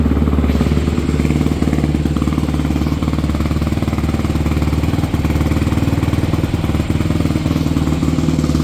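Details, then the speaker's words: 2014 Honda CRF250R dual-exhaust single, bought cheap after it shut off while being ridden, now repaired and reassembled: steady, even thump at idle with no knocks or rattles; sounds much better and healthy. "Man, that sounds much better."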